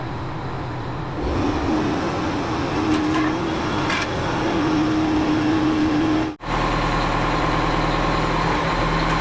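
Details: Oshkosh M1070 HET 8x8 heavy diesel truck idling while air builds up and transmission fluid is checked: steady, even clatter with a brief hiss of air partway through; engine running normally.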